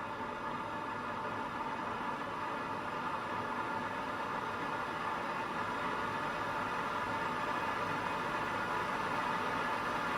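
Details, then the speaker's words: Gas boiler in chimney sweep mode ramped to maximum while checking gas pressure between meter and appliance: steady even burner roar and fan hiss, no surging or popping; pressure holds, running properly. "so the bottle is going to ramp up so i'm checking now once it's ramped up to maximum i'm not losing too much pressure"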